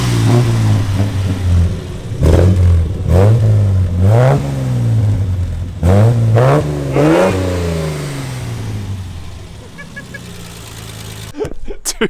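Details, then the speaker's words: Nissan Patrol 4x4 revved while held on the footbrake because the handbrake doesn't work: loud blips rise and settle back cleanly, with no knocks or rattles. Normal, healthy revving. "it's so loud. Bro, it sounds tough."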